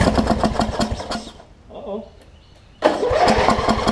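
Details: Wizard (Craftsman) riding mower with a worn-out old carb and a hit-and-miss starter solenoid, after carb cleaner spray: starter churns at about four beats a second in two bursts, never catches; cranks, no start; suspected fouled plug or sheared flywheel key.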